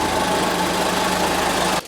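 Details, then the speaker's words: Merkur XR4Ti, 95,000 miles, sat five years, base timing checked with timing light and connector pulled: rough laboured lumpy idle before cutting out; timing found at 12° after TDC; retarded ignition timing. "oh man we are at 12 degrees after top dead center Expo head runs terribly"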